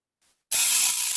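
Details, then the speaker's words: After a brief quiet, harsh rapid buzzing rattle of a contactor chattering, pulling in with the light coming on but not holding, risking burning the motor and contacts. "See, it's even chattering. It's not even holding in long enough."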